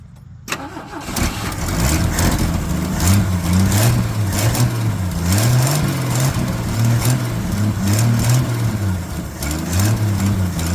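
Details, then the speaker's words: 1981 Jeep CJ7 sitting over 12 years, first start, oil pressure confirmed: short crank, catches right away into a steady, even, lumpy idle; normal start and idle, with a suspected exhaust leak near a junction. "that's crazy it's it started right up that's awesome"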